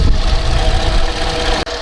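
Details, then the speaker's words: Toyota RAV4 with a stalling problem, fluids checked okay: loud, lumpy idle with an uneven low throb and some knocking character; engine running rough, cause not yet clear. "Well, it's running, but doesn't sound that great. One of the issues I was having was it was stalling out,"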